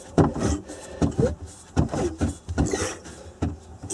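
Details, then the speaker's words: 1994 Sea-Doo SPX with water in the crankcase, engine turned slowly by hand: rough scrape about once a second; owner fears rusted crankshaft bearings, not confirmed. "I don't like that sound though I can just imagine a crank case full of water down there rusted crankshaft bearings"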